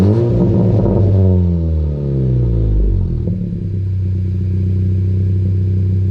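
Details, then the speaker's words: 2020 Honda Civic Si, just after a PRL downpipe install, tuned with the O2 sensor disabled: a couple of sharp revs fall away into a crackly burble on deceleration, then an even idle; normal, louder exhaust note. "It burbles way more now. Like on those low little revs, that shit burbles way more."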